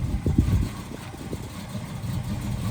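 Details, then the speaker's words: 1979 Camaro V8 after rocker arm replacement, heard directly in front: low even smooth burble, no ticking or misses. Normal idle. "how a V8 should sound. Nice and smooth."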